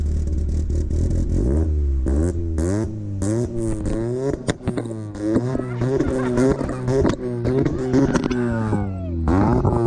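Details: Honda Civic EF first start-up after build, two-step launch limiter: petrol engine blipped repeatedly, pitch climbing and dropping roughly once a second, crisp and even throughout; sounds healthy.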